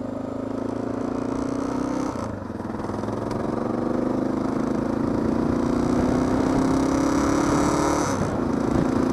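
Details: Honda XR650L revving and holding a rising drone but dipping and stumbling twice with uneven pops: spitting and backfiring, with fuel coming out somewhere; cause not yet found.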